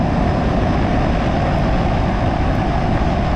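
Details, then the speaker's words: Home air conditioner outdoor unit just after faulty capacitor replacement and power restored; steady even rushing roar of fan plus a low drum from the compressor moving refrigerant, no clanks or buzz; normal compressor running. "there's a little bit of a different tone when the compressor is running versus when it doesn't hear how you can kind of hear you hear the fan running but then you also hear that second noise it's that real low kind of drum that is the part that's moving the freon the compressor"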